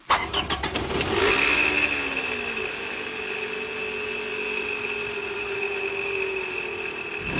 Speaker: Dimming lights plus whining under the hood equals what? A bad alternator.